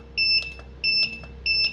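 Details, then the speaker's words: Godox SK-series (SK300/SK400II) studio flash, on for a while with no E3: rapid test firing, a bright double-tone beep about every 0.67 s with soft pops between as it fires and recycles normally. "Ya ini sudah on dari tadi ya, nggak ada nongol-nongol E3 ya teman-teman. Kita tes tembak ya."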